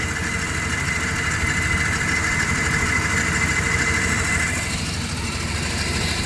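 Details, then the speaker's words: 1997 Dodge Caravan LE with a new coil pack, flashing check engine light; steady but uneven, stumbling idle under a hissy background; still misfiring at idle, cause not found. "right yeah still sounds like I got a Miss well I guess I limp at home best I can do"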